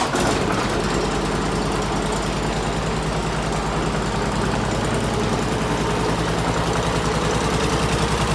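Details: Bobcat M500 skid steer repowered with Honda GX690, high-mount muffler relocated: even, quick exhaust pulse at steady speed, firm low beat, no misses or knocks; normal running.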